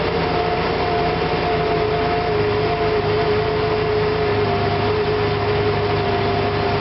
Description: Once I finally got it to idle, I would put it in drive then as I press on the gas it will start stuttering and popping.